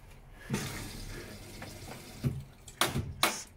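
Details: Washing machine after replacing its faulty door lock: soft steady rush of incoming water with a few clicks and drum knocks, inlet fill running normally.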